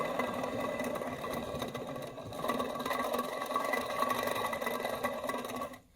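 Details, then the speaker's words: Original Motorcraft alternator off a 1987 Ford F250, pulley removed, shaft turned by hand; dry gritty rasp with uneven churning, worn rough bearing, to be replaced rather than the alternator. "Original off this truck I just bought, 1987. And it's screwed."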